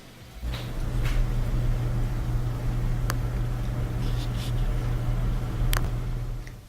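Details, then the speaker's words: Bosch dryer after removing a small Phillips screw caught between the drum and front bearing that caused metal scraping: smooth even drum hum, no scraping; normal dryer operation. "so it turned out to be a small Phillips head screw probably from somebody's pocket so took it out and then back to normal sanity dryer"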